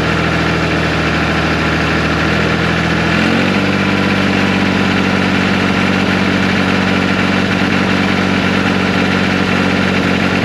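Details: 1974 John Deere 350B bulldozer diesel: catches and settles into steady, even low idle rumble, no misses or knocks. Owner suspects an injector-line air leak causes occasional rough running.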